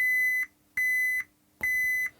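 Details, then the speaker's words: Gibson G101 combo organ under repair, multimeter on a key contact wire: three steady high continuity beeps as the key is pressed and released, showing the contact closes against the bus bars properly; normal key switch continuity. "so as suspected our key switch is working perfectly"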